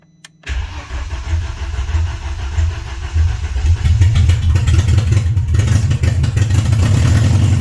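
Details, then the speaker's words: BMW 316i E46 first start after four years off the road, following clutch and flywheel replacement and engine reinstall: cranks and catches at once into a loud, deep, slightly uneven open-pipe rumble with no knocks. Healthy start. "it was loud as hell i'm not sure how good you heard that on camera but it's freaking started it freaking started"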